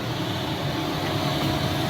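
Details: 2011 Toyota Camry Hybrid after A/C compressor, condenser and expansion valve replacement and system flush, refilled, low side about 22, high about 130, vent 2.6°C: even smooth hum, no knocking or grinding; normal A/C operation.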